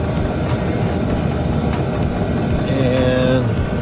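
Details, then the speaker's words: Hcalory diesel heater running in heating mode on a 300 Wh LiFePO4 battery, fan mode ramped to five: even fan rush with a soft, regular fuel pump tick about every half second, blowing hot air. Normal running. "ou can hear the pump ticking away there so we're in heating mode"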